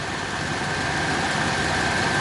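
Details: 1966 Chrysler Imperial, regularly maintained California car with recent oil and filter change; steady, even idle with a soft constant hum, very little vibration, and no knocks, misses or ticks. Normal idle.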